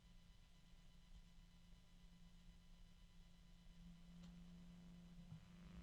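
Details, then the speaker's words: Noctua fan, compared against a LinkDepot fan; quiet, steady, even hum around 180 Hz with no ticking or rubbing, slightly higher pitch than the LinkDepot, healthy smooth fan. "so you can hear the noctua but you can also hear that it's got a higher pitch to it than the the link [Music] Depot well in any event that's what it sounds like"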